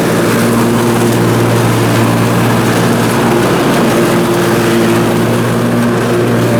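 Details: Briggs & Stratton Intek M44 twin engine after a full twin-carburetor tear-down and clean, while mowing: steady, even drone at constant speed, no hunting or surging; sounds way better. Normal running under load after repair.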